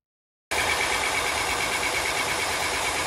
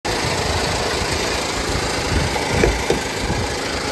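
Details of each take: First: 2015 Honda Pilot 3.5L i-VTEC after harmonic balancer, timing belt and tensioner replacement: after a brief silence the engine settles into a smooth, even idle with a faint high whir and no knocks. Normal idle after repair. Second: 2015 Honda Pilot 3.5L i-VTEC. A steady idle with an irregular knocking rattle from the front of the engine, consistent with a failing harmonic balancer.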